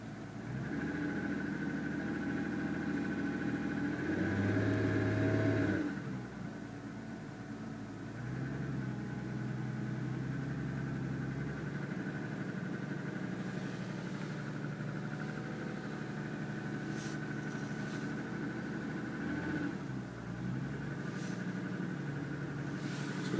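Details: 2007 Lexus ES350, recorded in the cabin while driving: light rapid knock over the engine drone, pronounced piston slap lasting about 10 minutes after a cold start; it has grown louder over 2.5 years of ownership.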